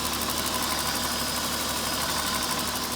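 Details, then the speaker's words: 2004 Honda Pilot after its crank-no-start was traced to loose, backed-out starter bolts that were retightened: engine settles into a smooth, steady idle with no grinding or clunking; normal running. "the Honda is back to running now so the reason for the natural condition is actually the boat that loose"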